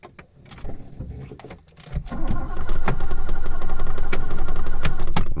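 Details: 1980s car, possibly out of fuel: after handling noises the starter cranks steadily at about four turns a second but the engine never catches; crank, no start, cause unconfirmed (owner suspects no gas).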